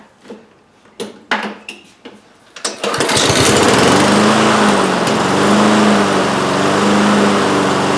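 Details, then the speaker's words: Husqvarna HU800AWD lawnmower, Honda GCV190 engine, after repair and new air filter: a few pull-cord tugs, fires at about three seconds and settles to a smooth, even, steady run; healthy restart. "we got it running and uh that was our main objective"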